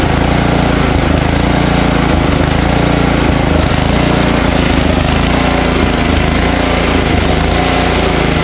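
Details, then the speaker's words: Ariens ST1128 snowblower, 11HP Tecumseh Snow King engine, electric start at full throttle with choke after priming: loud choppy single-cylinder chug rising and falling about once a second, surging slightly; owner suspects buildup in pilot jet, idles without stalling. "hey so how about that huh we did nothing to put gas in it and it starts and runs uh surges a little right uh but not as bad as the other one we did the other day"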